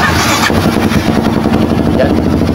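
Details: Kawasaki KLX 230 that would not start, running after troubleshooting confirmed spark and the fuel pump (pump now buzzing). Engine fires and settles into a steady, even putter with no misses or knocks; now running good.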